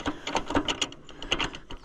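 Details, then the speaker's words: Cheap Allis-Chalmers tractor on a cold day, hand-cranked. Irregular metallic clicks and gear clatter with no firing, as if the tractor is trying to leave town. The engine is not seized; owner suspects it is stuck in gear, unconfirmed. "maybe it's stuck in gear I don't know it seems like when you turn the crank it's trying to trying to leave town"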